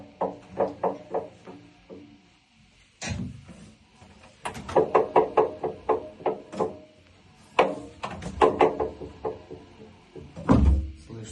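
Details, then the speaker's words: Samsung washing machine, drum rotating: sharp hollow knocks about two or three a second in bursts; suspected cause is a loosened counterweight bolt, found unscrewed. "Шум может быть. Из-за того, что вот этот грузик откручен, но он закручен."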